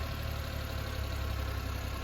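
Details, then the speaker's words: 1999 Suzuki Every DB52V with F6A engine, running after relay bypass for no-start: steady, even low idle with no misses, knocks or surging; runs smoothly though check engine light stays on. "and now i start the engine the engine runs very good but the check engine light is keeping on"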